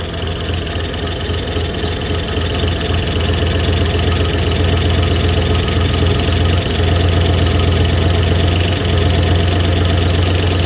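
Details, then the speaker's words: 1964 Oldsmobile 394 V8 at cold start with a small exhaust leak under the left manifold: steady low idle with a faint fast tick, about four a second, that owner thinks smooths out once oil pressure builds; oil pressure unverified. "a little bit of a tick it tends to smooth out I think once we build oil pressure"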